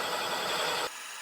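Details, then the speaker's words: Minneapolis-Moline G1000 tractor cylinder head, believed 504 cubic inch, valve seat being cut: harsh scratchy grinding for under a second, then a smoother hum. Rough cut at the start comes from rust pitting on the seat. "you really hear how rough that is where it starts out because of all that rust"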